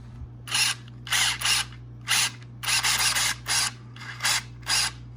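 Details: Rovan X-LT RC car steering servo with the FlySky FS-GT3B endpoint set to 89% left: short, crisp whirring sweeps that stop cleanly with no buzzing at full lock. The endpoint is set right.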